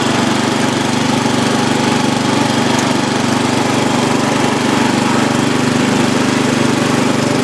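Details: Free old Lawn Chief (Murray) riding mower, reportedly used last year and needing a tune-up: small single-cylinder engine chugs steadily at a fast even beat, a bit rough but running and holding speed.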